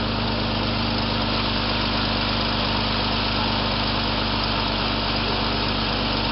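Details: 1995–1996 Jeep Cherokee XJ 4.0 litre petrol after bypassing immobiliser and alarm; even, steady idle with constant throb and no knocks, misses or rattles; normal idle.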